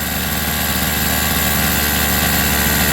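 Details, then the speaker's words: Rovan 45cc two-stroke after clutch rebalance: buzzy flat, dull note without crisp pickup, sounds choked, not breathing and lacking power; owner wonders if it's running too rich, cause unclear. "Yeah, that sounds different. No power. I don't know what's going on with it now."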